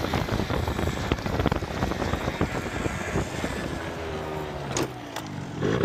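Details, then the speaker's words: Yamaha Zuma Prebug 70cc two-stroke scooter on a test ride after a custom stunt handlebar and grip mod, tuned for top end: even buzz under road and wind noise, no misses or surges; running perfectly, normal. "All right, boys. We just test rode the Zuma. The Zuma is running absolutely perfect except for two things."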